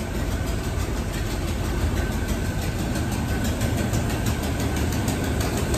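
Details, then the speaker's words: 1973 Chevrolet K5 Blazer, long-stored, idling: low steady idle with fast puffing tick from a loud exhaust leak, suspected at exhaust manifold with a broken-off bolt in cylinder head; otherwise quiet engine. "so yeah you can hear that exhaust leak it's kind of gnarly but this thing is quiet yeah i can't deal with that so but yeah if it wasn't for that exhaust leak you wouldn't hear this thing run"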